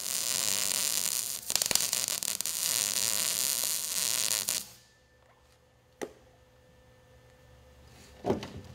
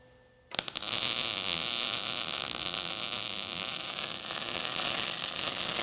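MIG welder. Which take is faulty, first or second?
second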